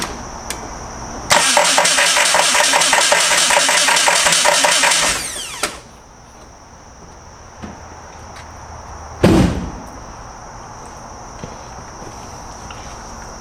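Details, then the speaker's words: Jeep after fitting new starters: harsh metallic clanking through about four seconds of cranking before catching, less bad than before; starter noise persists, cause unknown, possibly something else hitting. "it doesn't sound great whatever that noises what I was trying to eliminate except before it sounded a lot worse"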